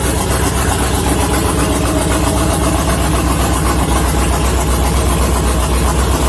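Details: LS-swapped Miata, steady idle after adding a few gallons of fuel; owner thinks running low caused the loud fuel pump, which now sounds better. Loud, even idle with a firm low rumble and no knocks or misses. Thermostat housing weeping, still needs a tune.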